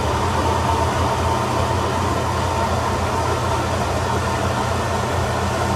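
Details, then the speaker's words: Atlas Copco SF4 rotary screw air compressor with internal dryer (480 V three-phase, 5 HP, 8 bar), 2,109 hours, loaded with the outlet valve closed, building toward 6.7 bar cutoff, at about 5 bar. A steady dense hum with a faint high whine. Normal; background thunder is not the machine. "I'm going to turn it on. And we're going to watch it build up air pressure. The outlet valve is closed."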